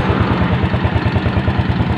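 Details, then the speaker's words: Motorcycle engine at steady fast idle after new original rings, cam chain and seals. An even quick tapping rides over the exhaust: the worn bore slaps the piston and actually needs oversize boring. "Jadi kalau suruh halus banget ya nggak bisa, ini suara ngeletek karena sebenarnya ini sudah minta colter ya, jadi cuma diganti ring aja, ring original ya."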